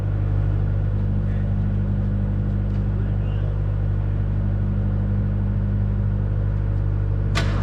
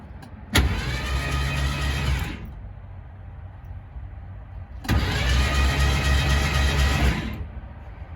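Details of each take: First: Abandoned 1969 Mach 1 Mustang, originally a 351, now a 302 with a cam and a probable rod knock, sat almost 10 years: fresh NGK plugs, carb swapped, has fuel, chilly morning; steady fast cranking never catches; possible crossed plug wiring or firing order. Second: Abandoned 1969 Mach 1 Mustang, originally 351ci with C4 automatic, now fitted with a 302 with a decent cam and a suspected rod knock, in park after sitting almost 10 years with fresh plugs: two smooth, even cranking bursts, no binding; engine cranks freely.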